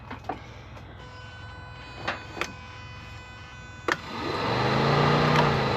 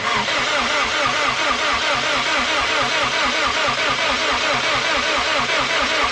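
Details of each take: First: Subaru WRX rallycross build (STI 6-speed swap, fully built motor, aiming for 500hp), key turned only to prime before first start: a few quiet clicks, then a steady electric hum; fuel pump priming normally, though something then blew. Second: WRX being built toward 500hp, with no downpipe fitted yet, on its first attempt to turn over: fast, even starter churn at roughly two turns a second with no firing. Something is heard to blow during the attempt; cranks but does not start.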